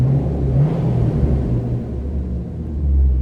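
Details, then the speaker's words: 2009 Chevrolet Corvette convertible, LS3 V8, 111,902 miles, no check engine light: deep, smooth, throaty rumble swelling evenly with throttle, no ticks or knocks; healthy V8. "Yeah, nice sounding LS3, Alpine stereo system working, electronic dual climate control."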